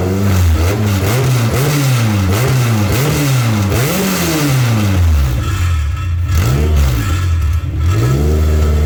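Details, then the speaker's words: K24-swapped Toyota MR2, first start after fixing reversed fuel pump wiring and blowing out fuel lines: engine catches and runs on its own, revs rising and falling smoothly between steady idle, no misses or knocks; normal running. "you guys heard it run running on its own now sounds good all right Nick you can kill it"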